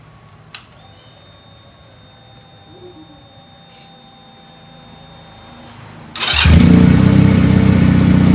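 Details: Benelli PE 250 FI motorcycle that wouldn't rev and idled erratically, test-running with a Suzuki Futura MAP sensor substituted: cranks, catches promptly, strong even run, no misfire or hunting; original MAP sensor found faulty and replaced.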